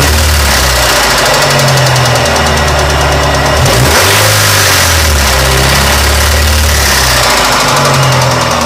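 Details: 1993 Mazda Miata engine with a loud, sharp clack ticking at engine speed while running; unclear whether a simple hydraulic lash adjuster (HLA) failure or a bottom-end rod knock.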